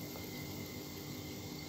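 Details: New washing machine drive motor (dinamo) bench-tested before fitting by plugging it in directly with a plug cable, spinning each direction: a quiet, steady hum with a faint constant whine and no grinding or clicks, running normally.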